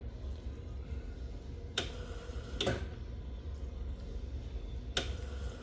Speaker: this is the normal operating sound for the big pump Ro so you might want to install it in a location or you won't be able to hear it